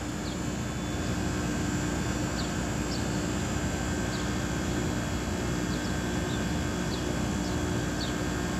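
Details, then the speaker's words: AC outdoor unit after switching on at the breaker with indoor blower running: compressor hums steadily but the condenser fan does not start. "वो compressor start हुआ तो पंखा नहीं चल रहा ठीक है और यह कमय हमारा यह फैन भी नहीं चल रहा था मैं इसको जब टेस्ट किया था तो और देख सकते हैं य कंप्रेसर की आवाज हमारी सुनाई दे रही ठीक है"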